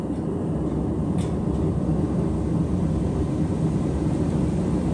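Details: Ribbon-burner propane forge with propane wide open and the blower fan on: a steady deep roar with an even fan rush, no sputter or popping. The burner runs normally with a smooth, clean flame.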